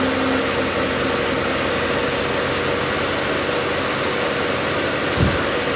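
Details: 2012 Chrysler Town & Country minivan with 186,000 miles, rescued after years sitting in a field. First start after a new AC compressor, main belt, transmission shift solenoid pack, fluid and filter: a steady, even idle under hiss, with no knocks, squeals or belt chirp.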